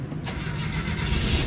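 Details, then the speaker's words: Mitsubishi Adventure gasoline 4G63 start after repairs, with sensors and cooling system reinstalled: short crank, catches straight away and settles into a steady, even run with no knocks. "Okay. So umandar na siya guys."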